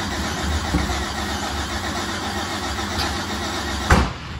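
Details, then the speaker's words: Race car engine while cranking: rough, uneven turning over and sputtering, then a sharp backfire pop; timing suspected out, not confirmed. "That was a spicer. Did I get you, Pat? Why would this thing be out of timing?"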